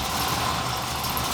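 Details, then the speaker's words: Square body dually with a newly fabricated full exhaust replacing a badly leaking one: quiet, even idle with a soft steady hum and no puffing or ticking from the pipes; exhaust sealed, engine healthy. "that's definitely a 10. it has to go that's good stuff that's a hundred times better"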